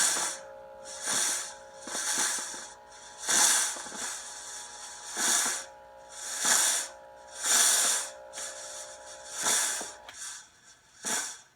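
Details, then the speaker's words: Oreck floor steamer, after the internal wiring was re-tucked to fix it not stopping: bursts of steam hiss over a light pump hum, then the pump shuts off cleanly, so it now operates normally. "okay and there it shuts [Music] off okay making Ste again the pump you can hear on them"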